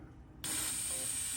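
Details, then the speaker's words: Hyrel 3D pick-and-place attachment on a Hydra 21 with compressed air through a valve and vacuum ejector: quiet mechanism, then a sudden steady hiss as the air switches on and holds during the pick; vacuum ejector working normally. "And you saw it go down, turn on the air. And now I'm going to do the place down. Turns off and retracts. So everything is working properly."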